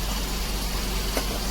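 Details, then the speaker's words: Daihatsu Dabbab (Hijet) after cleaning and adjusting the electronic throttle body plate: steady, even idle with a smooth low rumble, no stumble or hunting; previously high, fluctuating idle now fixed. "अभी देखि आवाज सही हो गया है"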